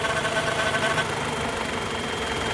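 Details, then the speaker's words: 2010 Renault Megane 2.0 16-valve automatic at idle, "cat inside" shortness-of-breath noise often blamed on the transmission or torque converter: the whistly overtone drops away when the oil filler is covered. Suspected failed valve-cover breather diaphragm causing a crankcase vacuum leak. "quando você tira a vareta e solta também o motor também altera funciona com o motor provavelmente aqui na tampa de válvula ele tem um diafragma né"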